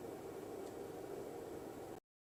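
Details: Rigol DP832 power supply after replacing the stock SUNON 80mm fan with a 92mm Noctua NF-A9 PWM on a 3D-printed 80-to-92mm duct: soft even airflow hush with faint low hum, no ticking or buzzing; normal fan running.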